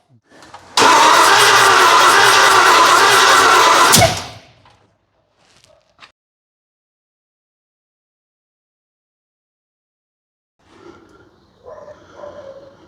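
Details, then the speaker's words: 1981 Ford Bronco that did not run, first start attempt after setting timing on number one, checking rockers and leads, fuel in the carburettor: hard cranking, then a sharp backfire through the carburettor with a flame that blew the carb off the intake. "That literally blew the carby off the intake."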